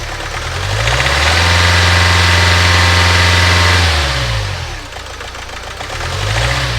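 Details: Renault Trafic diesel after a new fuel filter, EGR checked: revs up, holds, then drops back with an uneven, lumpy beat underneath; still rough, not the EGR valve, glow plugs, injector or water in the fuel suspected, unconfirmed.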